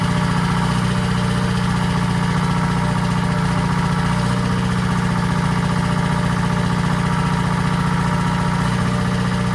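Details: 1940s Allis Chalmers D5/HD5 crawler, two-stroke Detroit 271 diesel after long storage, normal idle: steady even low throb about 220 pulses a minute, no knocks or misses; smokes, owner suspects injector, plans replacing it.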